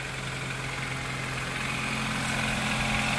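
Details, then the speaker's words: Nissan economy car, 142,000 miles, just after starting: steady, even idle with smooth low hum and no knocks or ticks over the hiss; motor sounds strong and healthy. "I think we'll uh this will be a good flip. Motor sounds like it's running strong."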